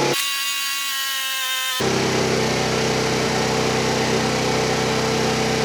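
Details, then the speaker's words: Tao Tao Pony 50cc GY6 (139QMB) scooter, first start after pre-oiling the engine: it catches and holds a fast, steady buzzing idle, very high while the auto choke is on, before the idle is adjusted to factory spec. "all right so start it up you can tell the idol is really really high I'm gonna hook up my tachometer and adjust the idle speed to the factory recommended specifications"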